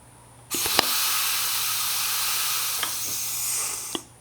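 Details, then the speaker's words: Pneumatic ram tool with foot pedal on an RV-8 build, exhausting through its line: long steady hiss over three seconds after pedal release, ram retracting very slowly; a quick exhaust valve is planned. "When I release the foot pedal, you can hear it very slowly exhausting, and the ram retracts very slowly."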